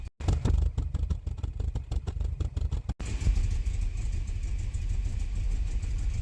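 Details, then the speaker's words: Porsche 944 first running after over a year, vacuum lines replaced: uneven lumpy beat with ragged pulses, then steadier; smelled rich. Leftover fuel from earlier start attempts suspected; smoothed out after a few minutes. Rough running after start. "I ran the car for a few minutes it seemed to iron itself out probably left over fuel that's why the rich smell cuz it wasn't running right or the previous start attempts"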